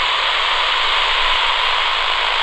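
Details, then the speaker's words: Flymo 1200R robot lawnmower boundary wire cut by contractors, traced with a cheap AM radio: flat steady static with no buzz past the break, signal returning nearby; wire disrupted around this spot. "here you can hear that again so somewhere around here where the cable has been disrupted"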